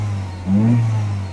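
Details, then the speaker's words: Peugeot 3008 1.6 turbo petrol, previously P0299 and P2261, no power, limp mode above 3.5-4k rpm; after repair, engine still cold, quick rev: smooth rise with turbo whistle climbing alongside, not heard before; normal turbo spool. "I can hear the turbo spooling which I couldn't hear before definitely I can hear the whistling from the turbo that was not there before a thousand percent was not there before oh"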